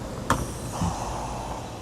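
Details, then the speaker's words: 2001-04 1st-gen Toyota Sequoia with check engine code P0174 lean bank 2, fuel pump failing slowly: short sharp hiss as filler cap opens, then quiet fade; tank held pressure, so gas cap seals fine and isn't the cause. "that seal. That was under pressure. It's not the gas cap."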